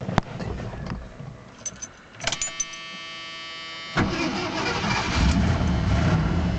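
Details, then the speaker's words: 1980 Jeep Cherokee Laredo, 401 V8 after major tune-up (new distributor, cap, rotor, plugs, wires, ignition switch, thermostat, coolant flush, oil change): short crank, then even steady idle, no misfire or tapping; good oil pressure, slow to reach operating temperature. "holds a pretty good oil pressure takes a minute to get up to operating butt it seems pretty happy these days"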